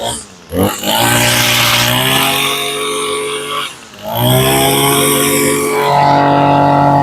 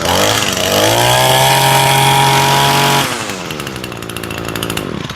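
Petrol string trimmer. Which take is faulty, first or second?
first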